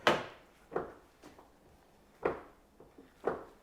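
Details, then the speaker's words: 2008 Toyota Highlander door swung open and shut: sharp clunks and clicks. The door check is worn and needs replacing; its mounting nuts were checked and are not loose. This is an annoyance, not a safety issue. "you hear that noise that is from the door check so let's look at that one thing that is very common on these is a door check"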